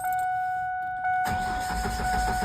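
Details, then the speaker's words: 1999 Ford Ranger 2.5 L four-cylinder, fuel pump relay pulled to bleed fuel rail pressure before a fuel rail swap: warning chime, then steady cranking for over a second without catching; no fuel, so it won't start. "Okay, so what we're gonna do now that the fuel pump relay is pulled is we are going to try to start the truck, and what that'll do is it'll expel all the pressure off the fuel rail."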